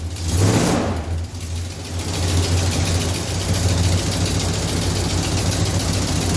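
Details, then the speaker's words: Mopar V8 with headers, after retightening loose header bolts: idle with quick sharp ticking in time with exhaust pulses, clicking on both sides; exhaust manifold leak persists, likely needs new header gaskets. "i think it will probably need a new set of gaskets seeing as it's been blowing so much"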